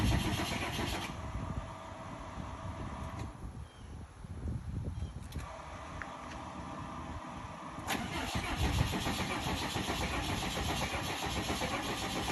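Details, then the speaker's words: 1993 Fleetwood Bounder diesel pusher sitting two years, with a new battery, fresh diesel and a primed fuel system: slow, rhythmic cranking for several seconds, then it catches and settles into a steady diesel run. Normal start. "Oh, it's trying. Yay, it is working."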